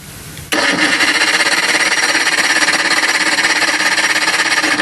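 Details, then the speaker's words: Johnson 60 HP outboard during a spark check with the neutral safety switch hot-wired: steady cranking at about 200 pulses a minute with an even rhythm and no firing. No spark is seen. Cranks but no spark. "no I don't see nothing so at this point in time could be anything"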